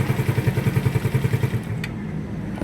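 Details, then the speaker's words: After loose pinion gear nut retightened with a washer removed so it grips again: even low putter at idle, no knocks or rattles; quiet, no overhaul needed. "Madalit sabi, lumuwag ang nut. Ngayon mga boss, start natin kung tahimik na."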